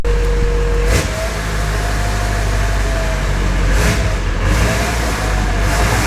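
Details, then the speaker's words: Duramax diesel in a K20 truck build, revved in place: deep, steady rumble climbs cleanly as the throttle opens and settles back with no knocks or rattles. Normal diesel revving. "This thing sounds so good. We good? Feel free to give it some gas if you want."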